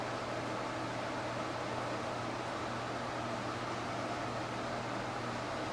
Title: Clean head trigger hissing sound than error counter reset and repeat for hours